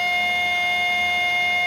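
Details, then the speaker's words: HP LaserJet 1020 laser printer just powered on: a steady, piercing high whine from inside the printer that keeps going and sometimes stops on its own. "ये कुछ इस तरह का sound इस printer के अंदर से दोस्तों आ रहा है। ठीक है ये देख लीजिएगा अब ये कंटिन्यू आता रहेगा दोस्तों"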